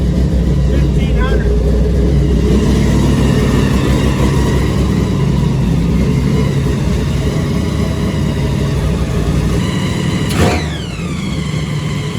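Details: Supercharged big-block V8 truck after Terminator X EFI conversion, restarted with a fresh tune and power cycle, good fuel pressure: deep steady idle around 1500 rpm with an even beat and one brief blip; running normally, much better than before.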